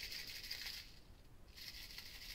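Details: Hard drive after the cover was hit to destroy it; shaken in two bursts, bright loose maraca-like jingling of broken platter fragments inside, meaning the drive is destroyed and the data is permanently erased.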